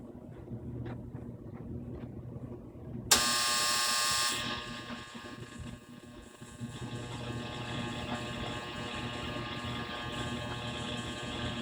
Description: Maytag Bravos Gas Dryer makes intermittent loud buzzing noise